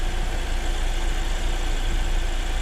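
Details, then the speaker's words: Toyota Corolla engine idling smoothly and evenly after both failed alternator bearings, one seizing and one rumbling, were replaced; the earlier noise is gone. "É isso aí rapaziada nosso bebê monstro nosso monstrengo já tá em casa sem barulho acabou aquele barulho"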